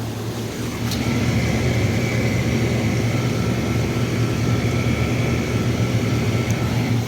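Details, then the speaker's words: Hot tub pump one on high speed after replacing the pump assembly that had a broken impeller: smooth, constant low hum with a faint steady whine, no rattle or surging; sounds pretty good, flow now normal. "sounds pretty good"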